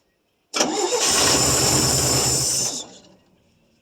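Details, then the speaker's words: 1966 GMC half-ton pickup with a 250 inline six, first start in at least 2 years, straight pipe with no muffler and no coolant: cranks, catches at once and runs loud and steady with no knocks. Engine sounds healthy, though it needs timing and fuel work. "Yeah, there's no muffler on it, just got a straight pipe. That probably explains why that sounds so good."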